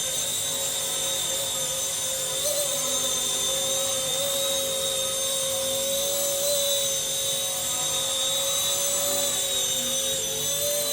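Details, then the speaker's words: RC ERA C190 Airbus H145 electric helicopter after main gear replacement, steady high whine with no grinding or rattle in flight; gear noise gone, smooth main gear. "Okay. I'm going to bind it and we're going to go fly it now. Let's see if it's fixed. Smooth so far. There you go. Very smooth."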